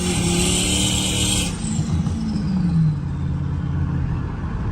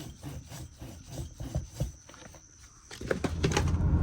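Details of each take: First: 2014 RAM 1500 on highway test drive after replacing worn left front wheel bearing: steady road roar with early wind hiss, no growl or speed-rising hum; normal highway cruise. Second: 2014 RAM 1500 old left front wheel bearing spun by hand after removal: rough, rhythmic scraping rasp, hard to turn and catching instead of a smooth whir; worn bearing, the cause of the driving noise.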